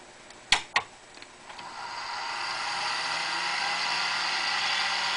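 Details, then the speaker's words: IBM PS/2 Model 70 386 from about 1989-90, first power-up in roughly 15 years: clicks at switch-on, then a hiss and whine climbing steadily as the hard drive spins up to speed, sounding healthy; POST later shows errors. "hard drive spins up this is the first fire up and probably i would guess about um probably 15 years"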